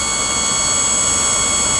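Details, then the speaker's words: Auto park brake pump run on the bench from a 12-volt battery via a manual switch: steady motor whine holding one pitch with no surging, cutting out or cycling. Pump runs continuously without overheating and is ruled out as the auto park fault. "The pump's on now, 12 volts, going to it. So this is a pump. Does not appear to have any failure with it as far as cycling issues. And it's just staying pumping."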